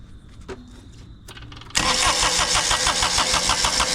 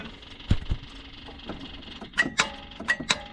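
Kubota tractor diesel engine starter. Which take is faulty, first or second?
second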